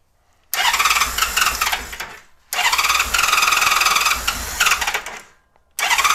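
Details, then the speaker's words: 1999 Honda Valkyrie Interstate that had sat unused for years, idle adjusted up. The engine fires in uneven bursts and stumbles, dies, and is suspected of not running on all six cylinders; a fuel leak was then found at the fuel tee on the right carb bank. "I don't think it's running on all six either"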